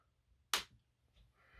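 A single sharp snap as the solenoid throws, crisp and clean with no buzzing afterward; the point motor is working properly.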